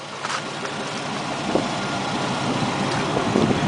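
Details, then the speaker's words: 4.3 L TBI V6 in donor plow truck, destined for an '81 1-ton: steady, smooth low rumble with even beat, no knocks or misses, fires right up; normal idle. "In my opinion, one of the best motors ever put in a pickup. 4.3 liter V6. Purring like a kitten."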